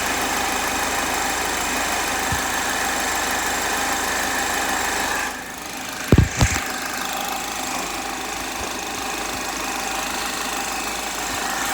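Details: 2010 Chevrolet HHR 2.2 Ecotec at warm idle: light, uneven ticking clatter over the engine hum with a few sharp knocks midway; abnormal noise when warm, owner cannot identify the cause.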